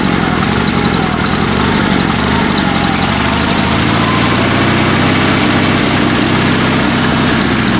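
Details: Sears Suburban SS16 garden tractor, twin-cylinder spare engine rebuilt with spare pistons and crankshaft after a broken connecting rod, previously running on one cylinder; steady even Harley-like idle firing on both cylinders, no skips; some cutting out suspected fuel-related.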